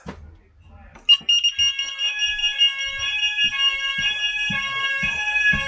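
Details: Old preschool fire alarm sounder that had no sound, tested during a quick fix: a loud, steady high-pitched alarm tone cuts in after a second and holds clear over faint room knocks. The sounder is working properly.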